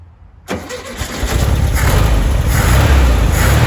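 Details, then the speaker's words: 1973 VW Beetle, first start after sitting over 10 years, with fresh fuel and a new battery: the starter spins briefly, then the engine catches at once and settles into a steady, even idle; normal cold start. "and it starts what on Earth these cars are in insanely special I can't believe how easy that was considering the fact that this car hasn't run in years"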